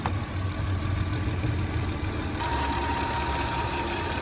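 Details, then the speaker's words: 2008 Hyundai Santa Fe after water pump replacement, first run warming up, at idle: thin steady whirring hum traced by stethoscope to the tensioner pulley bearing, only at idle, gone at higher rpm; tensioner was slightly loose when installed. "right, so that noise I'm hearing, I got my stethoscope out and listen, and it's coming from the bearing on that tensioner cord right there. Is where that noise is coming from."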